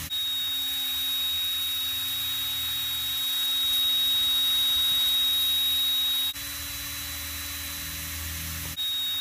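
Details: SunnySky X2204S brushless motor, fairly new, spinning with a steady whine over heavy hiss, rough and gritty; extra vertical shaft play from a gap between plastic washer and C-clip, fixed by pushing the shaft in and resetting grub screws.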